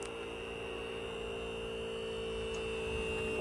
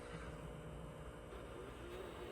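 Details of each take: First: Sealine sports cruiser boat hydraulic trim pump after bleeding air from rams by cycling fully up and down: even electric hum with steady mid whine, no gurgling or stutter; running smoothly. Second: Sealine sports cruiser boat hydraulic trim pump while cycling rams: steady low drone with rough churning undertone, pump labouring on heavy air in the reservoir, moving slowly; bleeding by running fully up and down improves it.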